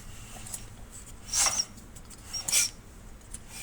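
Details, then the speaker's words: 10 hp Briggs 19G412 L-head on a Coleman generator, turned by hand after a head resurface and restoring tappet clearance (overheated, cooked valve seats). Two brief airy hisses out the carburetor, then firm compression before TDC. Easy-spin release normal. "You hear that little hiss out the carburetor, maybe? That slight hiss, and then it hits. The flywheel gets firm right there before top dead center."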